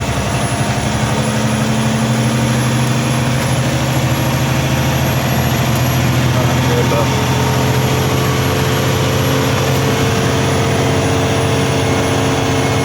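Heavy diesel idling with a constant low drone and a thin steady whine on top; the source of the noise isn't pinned down.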